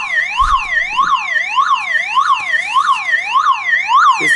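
A loud siren sweeps up and down about twice a second and keeps wailing off the car, running on its own backup battery.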